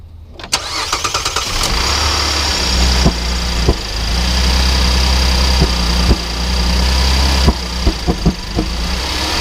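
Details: 2010 Cadillac SRX with codes P0172/P0175, after dealer replaced both catalytic converters, injectors, spark plugs; cold start: rough idle with sharp irregular knocks about every second; dealer blamed sticky valves, later new high-pressure fuel pump needed. Engine knock on cold start.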